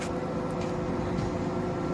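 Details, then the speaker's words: Samsung WD11M4453JW 11 kg washer-dryer after repairing a loose drum: spinning with clothes inside, steady even motor hum with a faint tone, no knocking or banging; working normally. "ando já tá funcionando centrifugando com roupa dentro CTO paradinha só barulho dela funcionando mesmo ficou 100%"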